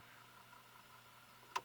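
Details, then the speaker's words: Radio Shack 12-696 AM/FM cassette player under repair after shipping damage, on fast forward: a faint, even tape-spooling whirr with a low hum and a click at the end. Fast forward works fine. "Just cause you're right. You can hear it, fast forward's fine."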